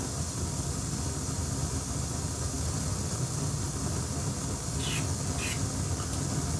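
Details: Akai 4000DS MK2 reel-to-reel: steady amplifier hiss over a low rumble with sharp crackles, plus very high flutter; the sound-on-sound switch was cleaned first, but the noise was traced to failed transistors, not capacitors.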